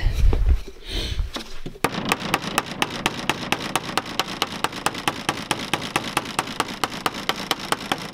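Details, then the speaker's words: 2005 Polaris Ranger 500 UTV, non-running project; fuel pump makes a sharp, even ticking four or five times a second with nothing else running; owner suspects the fuel pump is noisy or failing, not confirmed. "That doesn't sound good."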